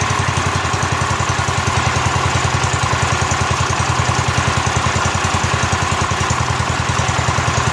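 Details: Rebuilt Kohler K241 single-cylinder engine in a John Deere 210 garden tractor, first start after the rebuild with new fuel line and fuel primed into the carburetor: a steady, even thump of about three and a half beats per second. Healthy idle.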